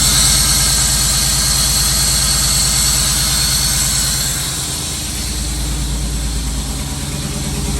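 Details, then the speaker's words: 1992 Camaro Z28 after fuel pump and sending unit replacement and a new belt, battery reconnected: steady, even idle holding speed on its own with only a slight dip; engine sounds healthy. "Engine sounding good, guys."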